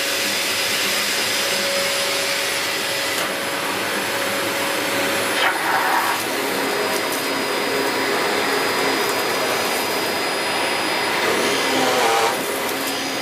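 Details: 17-year-old Dyson DC04 Limited Edition upright vacuum after belt replacement, during a big-mess pickup test: even high-pitched motor roar with smooth brush sweep, no thumps or chatter; running normally.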